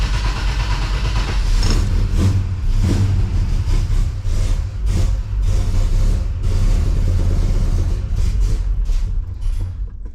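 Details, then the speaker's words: 1955 Chevy Bel Air Hardtop with ZZ4 V8, cold start: low uneven rumble surging and sagging, no smooth idle; choke seemed to slam shut, lots of fuel smell, squirters dropping fuel; rough cold running. "that doesn't sound good. Let's check this real quick. Almost sounded like the choke slammed shut."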